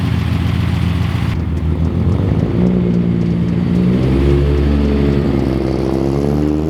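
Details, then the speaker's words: Datsun 280Z six-cylinder idle, mostly smooth, but the low hum rises and sags slightly over several seconds; the idle wavers too much instead of holding steady. "As you can hear, it sounds kind of okay. It sounds like a normal idle, but it's still wavering a little too much, I think."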